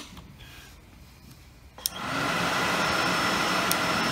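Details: Suzuki Quad Runner ATV with handlebar-mounted controls rewired and a voltmeter added: a click, then a steady whoosh building to an even roar as the electric thermatic cooling fan cuts in, dragging the battery from 12.4 to 11.3 V; it runs normally.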